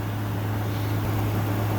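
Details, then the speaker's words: 2014 Frigidaire 5000 BTU window AC, unused five years, on high cool: even low hum under airflow hiss, no rattle or grinding; compressor quiet, air 52 dropping to 47°F, coil 53, condenser 64. "52 and dropping. That compressor is really quiet. 48, 50, 49, 48, and dropping steadily."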